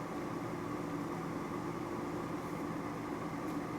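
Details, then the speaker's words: Lab gas furnace with intermittent pressure switch, running on call for heat after the inducer starts and it fires: steady even draft-inducer motor hum, faint whir near 250 Hz, no rattles or scraping; normal inducer operation. "I got my call for heat. There, the inducer motor comes on. So that switch was open. I'm just going to let it run here just to make sure it fires."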